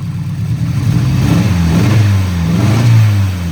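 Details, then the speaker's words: 1989 Nissan 240SX with upgraded injectors (likely 1050 cc), manifold and turbo intercooler piping: rough, stumbling revs; unplugging the cylinder 2 injector makes no change while the others do, so that injector is suspected faulty; compression passed. "And notice that this injector, if I unplug it, see there's no change. I plug it back in. It kind of gets better and then it gets doesn't change. So, I'm thinking this injector is bad."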